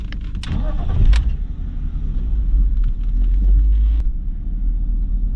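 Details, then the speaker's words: BMW E46 six-cylinder after replacing the one faulty ignition coil: after handling clatter, a low steady even idle hum with no lumpy beat; vibration gone, now firing on all six cylinders instead of five. "adesso l'auto sembra girare veramente bene ha smesso di vibrare quella vibrazione un po stupida che aveva prima che era il sintomo che girava cinque cilindri non a 6"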